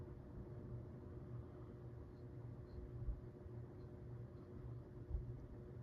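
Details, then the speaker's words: 1978 Dayton/Lasko ceiling fan with Sanyo motor and freshly replaced bearings, on low speed: very quiet, steady low hum with no ticking, grinding or wobble, quieter than medium and high; normal running on low speed. "pretty quiet and tame on low but the other two speeds definitely not"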